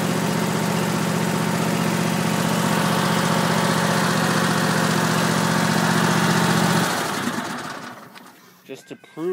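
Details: Troy-Bilt single-cylinder engine started cold with choke off, last run days earlier: idles smooth and even at a steady beat, no misses or knocks, then switched off; normal cold start and idle.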